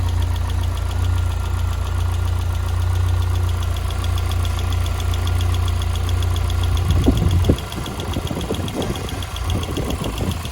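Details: Lotus Elise with Rover K-series engine at idle: light quick ticking about three to four times a second, clear above the steady hum and tracking engine speed.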